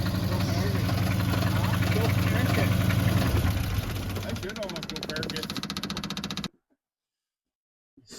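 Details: Blown engine, previously converted from propane, started after fully cooling on a mildly chilly day; rough idle with a steady knock about three to four per second under the rumble, then shuts off; engine knocking.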